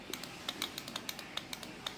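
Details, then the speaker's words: LG F1014NTGW front-loading washing machine that is hard to start and sometimes errors, power supply board under the drum, display disconnected: main relay chatters with faint, irregular dry clicks; cause not yet confirmed. "Terdengar relay main ceklak-ceklik seperti itu ya, Teman-teman. Dan ceklik-cekliknya itu tidak beraturan seperti itu."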